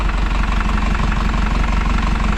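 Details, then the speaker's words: 2000 Isuzu NPR turbo diesel, first start after sitting a year, power steering fluid low: fired up very quickly into a steady, even diesel clatter at idle with a firm low rumble, no misses or knocks; normal healthy idle, no leaks underneath. "sounds good though it's crazy how quick that fired up"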